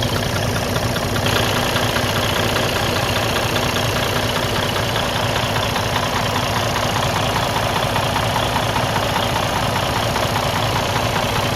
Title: Freightliner Cascadia DD15 engine knocking noise broken engine internal problem